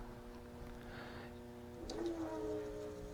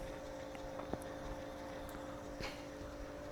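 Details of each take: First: Washing machine AC induction motor wired outside the appliance, powered but not turning, giving a steady electrical hum; runs once spun by hand, so a bad starting capacitor is suspected. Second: Washing-machine AC induction motor bench-wired outside the appliance, running on one of its speeds. The hum is quiet and steady with a constant mid tone and no knocks or rubbing. The owner suspects a bad capacitor.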